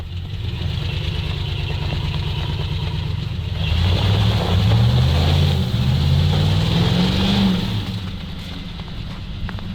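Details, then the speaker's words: ZIL truck (ZIL-Takh) after clearing a clogged line: deep, even engine note swelling smoothly under a brief rev and settling back, no misses or knocks; normal running. "I can’t believe it Well, everything works great,"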